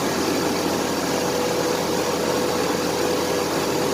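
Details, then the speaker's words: 1993 Chevrolet S10 4.3 automatic 2WD after clutch fan replacement, idling: loud steady whooshing roar at constant pitch, like an 18-wheeler. Normal engaged fan clutch working as it should. "now it should sound like a big old 18 wheeler when it fires up that means that the clutch fan is working like supposed to"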